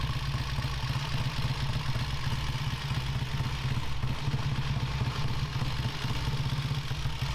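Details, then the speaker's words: 1967 Triumph T100C off-road twin that would not start and blew its main fuse after a frame repaint, now running. Steady, loose twin-cylinder thrum with an even beat, no misses or knocks, before it dies; normal running. "oh and she died that thing sounds so cool man"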